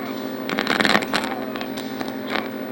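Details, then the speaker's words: Mortal Kombat 2 arcade sound board in test menu at maximized volume: game sounds harsh, crackly, garbled and staticky though sound logic works; audio stage failed. "I know the logic of the sound board is functional because I can hear the game sounds even though they're incredibly garbled and staticky"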